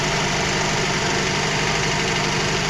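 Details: VAZ 2115 1.5 injector engine, fully cold, valve clearances confirmed correct, with a fast light tick over the idle. The mechanic first suspected piston slap or the camshaft; removing plug caps did not change the sound. Finding: ignition-related ticking.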